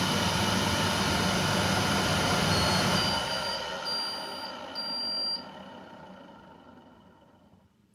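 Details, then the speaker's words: Candy CTDB H7A1TBE-80 integrated condenser tumble dryer after motor capacitor fault repair, door switch bypassed for test: motor hums steadily with faint whine, then coasts smoothly to silence and clicks; drum motor runs normally, fixed. "so I'll just give it a test switch the machine on it self though so that's a fix"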